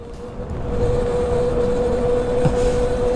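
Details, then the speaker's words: Ola S1 Pro Gen 2 electric scooter climbing Kalhatti Ghat on a Mysore–Ooty ride: a new steady mid-pitched whine ("wow wow") over wind and road noise under load; cause unclear, reduced-performance warnings followed. "ಆದ್ರೂ ಗಾಡಿ sound ಮಾಡುತ್ತೆ ಗೊತ್ತಾ ಹೊಸದೊಂದು sound extra sound wow wow wow wow ಅನ್ನುತ್ತೆ ಈ sound ಕೇಳಿರಲ್ಲ ನೀವು ಎಲ್ಲೂ ಕೇಳಿರಲ್ಲ"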